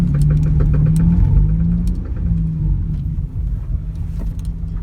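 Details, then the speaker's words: Front-wheel-drive car: a constant rattling or clicking, about three clicks a second over a low rumble, when the wheel is turned to full lock. Suspected bad outer CV joint with a worn-out boot letting dirt in; joint to be replaced. "if you turn your wheel to the max at the side and you can hear a constant rattling sound might be your outer CV joint is bad so you need to replace it"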